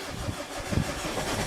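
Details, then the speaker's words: Mazda diesel, after air-con compressor swap and belt refit, about fifth start attempt after glow plugs heat: uneven cranking with brief firing bursts that never reach idle; nearly starts, then dies. "oh hang on nearly she fo about it give her another goat she went for a second there nah nearly so close but no dice try again in half hour"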